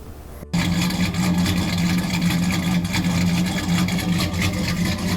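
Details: Big-cam engine tuned with HP Tuners, idling after fuel trims were corrected by adding another 15%, before idle rpm was raised 100: a deep, loping, uneven, choppy idle with no clear misfire that still needs stability tuning.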